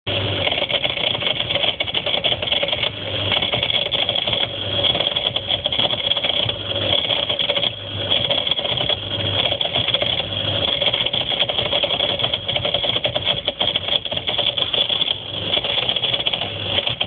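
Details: Whirlpool ADG 7540 dishwasher, steady buzzing rattle from underneath with a low hum swelling about once a second, hose and heater shaking; pump rattle, solved by removing and replacing the pump.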